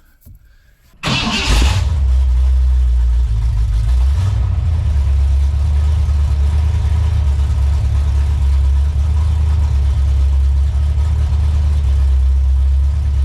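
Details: Lincoln Town Car (Panther) swapped to a Ford 460 big-block V8 with X-pipe and Dynomax Super Turbo mufflers: short crank, quick catch, then a deep even rumble settling into a steady idle; healthy.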